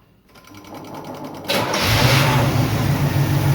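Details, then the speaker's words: 1983 Chevrolet El Camino 350 V8, untouched for seven years, first start: the starter whirs briefly, then it settles into a steady, even idle. Oil pressure gauge isn't rising; owner suspects mouse-chewed gauge wiring. Healthy start after long storage. "there miss Carolyn that car runs better any car I've ever known that's been sitting up for seven years"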